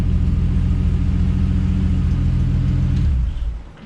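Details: 1975 Plymouth Duster Slant 6 after carburetor cleaning/rebuild and temporary exhaust with cherry bomb style muffler: deep, throaty rumble, revs held then dropping back smoothly; normal revving, runs clean.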